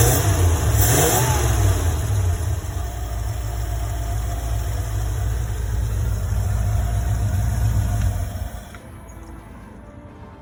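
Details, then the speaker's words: 1975 Ford E100 van V8 being revived, gravity-fed fuel, alternator suspected of not charging: strong, deep rumble revving evenly for eight seconds, then dropping away; smooth, healthy engine revving. "am I happy to hear that I tell you makes it all worthwhile"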